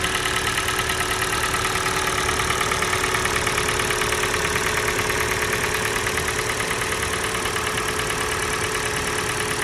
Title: Стук двигателя Kia Sportage G4NA. Холодная. Отключение катушек